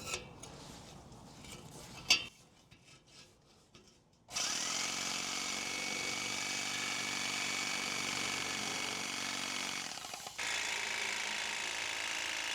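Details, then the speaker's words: Saw cutting a pipe under an LLY Duramax truck during a catalytic converter delete (LB7 mid pipe install): steady high buzzing stroke, about four per second, with no change in bite or pitch; no progress cutting, blade suspected dull or missing teeth. "We're not making any sort of progress. There's no way it's cutting through. No, it's not making any sort of progress. Like these things are supposed to cut through, but you know, I think it's cuz the blades missing teeth. This thing's got to be dull."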